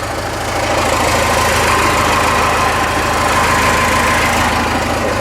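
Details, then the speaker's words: Ford F150 with Cummins 6BT swap, after front-tank fuel system work (fuel return, new gaskets and hoses, about a quarter tank): rapid even diesel idle tick over low rumble with faint turbo whistle, not smoking. Normal diesel idle. "yeah turbo whistle it's not smoking today it's good sounds like a baby for uh 6bt"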